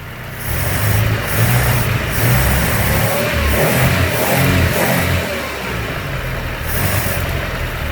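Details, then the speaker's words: Pre-war Austin 7 four-cylinder with SU carb, needle modified from number 3 to richer number 5, engine warmed up: uneven surging revs that sag and pick up; hesitation on acceleration, mixture still not right. "it'll start on the handle easily as well so it's not too loud but I spoke a bit of hesitation"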